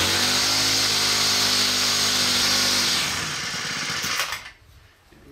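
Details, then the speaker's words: New Poulan Pro PP428S string trimmer two-stroke, run without choke; high buzzy rev holds briefly then sags and dies within seconds; carb suspected too lean from factory setting. "for more than a few seconds it started to die so I'm assuming it's too lean"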